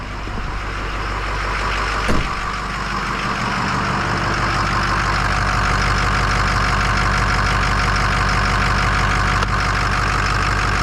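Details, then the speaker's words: 2006 Ford 6.0 Powerstroke diesel, after repair of combustion gas entering fuel system: steady even idle with smooth rhythmic clatter, no banging or knocking any more; problem solved. "hey she's not clattering and banging and knocking now sounds like a 6 liter"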